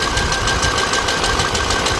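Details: 2006 GMC Envoy XL Denali 5.3 V8 after torque converter bolts replaced with threadlock: knocking noise gone, but idle still busy with irregular stumble and uneven pulses, misfire remains, coils and wires suspected.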